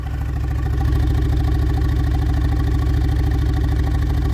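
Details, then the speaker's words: VAZ 2112 warm at idle, exhaust chuffing with an uneven, lumpy beat from one dead cylinder; misfire returns when pressure on the ignition module connector is released, and the owner suspects the ignition module and its connector. "Отпускаю И вот реакция на ГАЗ ратан троение сейчас послушаем звук выхлопа вот когда двигатель троит воняет"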